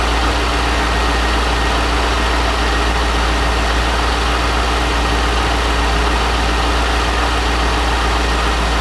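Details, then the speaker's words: C5 Corvette just restarted after 4+ months of harmonic balancer and front subframe replacement, while checking power steering fittings for leaks: a deep, steady V8 idle with an even, unbroken rumble and no knocks, misses or wobble. "k over a few times before it started but man as you guys heard this thing fired right up and part of that was help to the new starter that i put in the car but this thing fired up like a champ and it was no problem"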